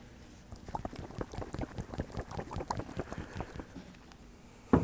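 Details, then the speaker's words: 1969 Citroën DS hydropneumatic suspension sphere shaken by hand: loose liquid sloshing inside. A charged sphere would be silent, so it has lost its nitrogen charge, causing a stagecoach-rough ride and a clicking pressure relief valve. "you can hear fluid moving around inside you would not hear that if this had 3000 PSI in it"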